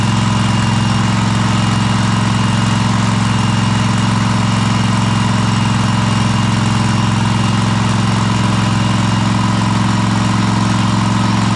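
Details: Cub Cadet Super LT1554 with a 27hp Kohler V-twin, 500+ hours, freshly reassembled after head gasket replacement: even, steady low drone stuck at moderate speed at full throttle; not reaching full rpm, owner suspects something needs adjusting.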